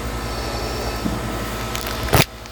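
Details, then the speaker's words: Heat pump AC condenser unit after replacing the contactor and reinserting the safety disconnect: steady, even low compressor hum with no rattle or chatter, now cooling; normal compressor running. "impressive yeah look at that it's going to be some cold there now and you can really hear that compressor humming in there"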